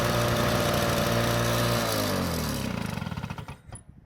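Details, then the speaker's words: Lawn-Boy two-stroke mower runs at a steady high-pitched buzz that the throttle lever cannot change, then drops in pitch as it shuts off; choke still works. "As you can see, the throttle lever doesn't seem to do much when it comes to adjusting the engine speed"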